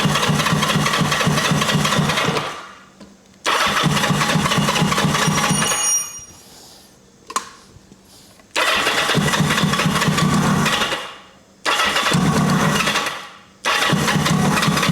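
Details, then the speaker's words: 1980 Kawasaki KZ750 with a fuel line leaking at its connection: it catches and runs only in short bursts while cranking, then falls silent when the starter is released. Owner suspects the ignition cuts with the starter button; unconfirmed. "It almost sounds like it's killing the ignition when I kill the starter button."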